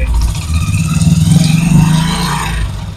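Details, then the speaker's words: Motorcycle in gear with the clutch released against a lightly pressed rear brake: low, rough growling drone from the gearbox that appears only under load on the rear wheel and disappears without load. "जब मैं थोड़ा सा load डालता हूं जब हम clutch छोड़ते तो पीछे वल पर जोर होता है इसकी वजह से फिर आवाज पैदा होती है खाली प नहीं पैदा होती"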